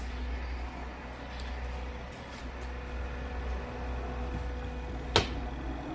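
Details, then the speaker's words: Washing machine spin drum after repair runs smoothly at full, high speed with a steady, deep motor hum and faint even tone. Before the fix, the spin drum vibrated and wobbled excessively and spun slowly. "ড্রামটা অনেক সুন্দর মত ঘুরছে এবং স্পিডও অনেক বেশি।"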